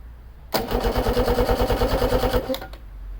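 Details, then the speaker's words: Engine of a 1979 Ranger fishing boat (50:1 two-stroke mix), first turnover after the plastic ignition switch was forced to turn without a key: even cranking about three beats a second for two seconds, never fires; no fuel reaching the carbs yet. "now that we've upgraded to keyless ignition we can hear the engine turnover for the first time"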